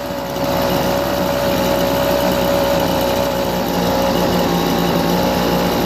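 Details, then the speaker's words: Homelite BP250 backpack leaf blower, two-stroke, pulled from the trash, running on fresh gas and two-stroke oil after old fuel was dumped: smooth, even idle with no sputter or hunting. "soon for work pretty well man idles well"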